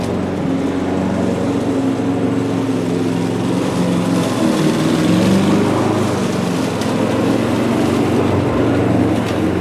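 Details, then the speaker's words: Old Mountfield lawnmower revived with new cable clips and foam, cutting grass: steady drone with slightly wavering low pitch, not throwing grass into the chute; revs seem low under load, rpm unchecked. "It sounds like the revs are a bit low."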